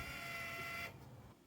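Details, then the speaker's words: Aftermarket replacement linear actuator motor, substituting the original Linak units, on a Vergola motorised pergola: steady even high motor whine with gearbox hum, cutting off cleanly; healthy, slower but handles more load than the originals. "okay so the motor now is operating as you can hear and if you've just been operating your own virgo with the original motors you'll know it's quite a lot quicker than that possibly not quite as noisy as well"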